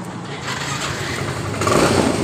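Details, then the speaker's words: Yamaha Mio M3 125 whose electric starter kept running with key off, after fixing the sticking starter relay: starter engages briefly, engine catches into an even run, no continuous starter whir; healthy start. "tidak terjadi di bagian dari setir elektrik setirnya tadi sudah tidak jalan seperti tadi"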